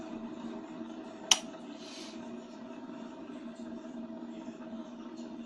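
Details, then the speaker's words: 1991 Orient deluxe ceiling fan after replacing a bad bearing and a weak capacitor: quiet steady low hum, no grinding, rubbing or wobble; fan runs smoothly without pushing, normal after repair. "Now I am going to test the fan whether it's working or not with new bearing. Now the fan is working very good without any pushing."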